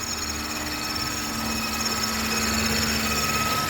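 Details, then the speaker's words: 2016 Chevy Impala LT just started, with the tester reading the battery/alternator as bad: idle has a thin metallic ringing and fast, fairly even ticking; cause unclear, maybe a vacuum leak suspected. "Sound like there something metallic or something's going on. Maybe a vacuum leak or something."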